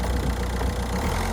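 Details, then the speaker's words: Citroën DS3 diesel running after an engine rebuild of a non-runner: smooth, even idle with a steady low rumble and no knocks, quieter than a van; engine management light on. "like that's quieter than my van that sounds lovely"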